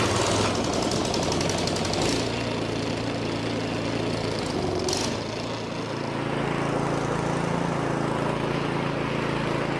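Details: Two-stage snowblower small single-cylinder engine that previously ran only on choke and surged and died in run position, after complete disassembly and reassembly; started with throttle on, primed and on choke, it runs steadily with an even beat, no hunting or surging.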